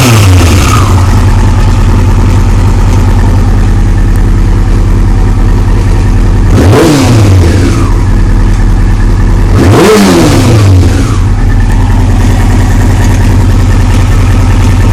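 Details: 2001 Yamaha R6 idling with two quick revs: faint ticking that comes and goes and a slight rattle on the throttle, cause unknown: intermittent engine ticking.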